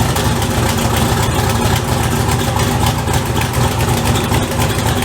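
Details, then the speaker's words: Turbo V8 (LSZ) build at idle on first start: loud, raspy puffing and ticking over the rumble from an exhaust leak at the welded turbo manifold; sounds better than before, but still leaky. "still sounds leaky but it sounds better"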